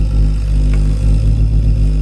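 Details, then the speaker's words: Ideal Logic combi boiler, reported vibrating loudly after about 20 minutes of heating. It is silent firing for the hot tap, but in service mode at low fire it produces a heavy throbbing, pulsing rumble shaking the casing. This normally indicates a faulty gas valve. "Um, but what I found is you stick it to service mode and put it into low fire, it will start vibrating like mad, which normally indicates the gas valves faulty."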